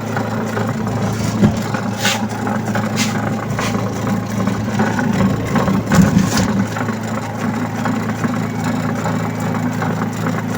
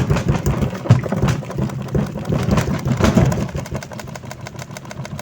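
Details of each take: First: Astro spin dryer, owner reports noise underneath while spinning, tested loaded with clothes and back cover off: steady low hum with uneven rattle; noise briefly stops then returns, traced to a loose suspension spring rotating underneath. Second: Astro spin dryer previously noisy underneath, tested after repair with back cover still off: low steady motor hum, no heavy knocking or rattle; normal quiet spin.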